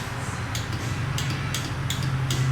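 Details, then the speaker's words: KTM 125XC two-stroke dirt bike whose electric start failed at a race: sharp, repeated solenoid clicks about two a second with no starter spin or cranking. Starter solenoid clicks, no crank. "you guys can hear that um the solenoid clicking um it's got no no go"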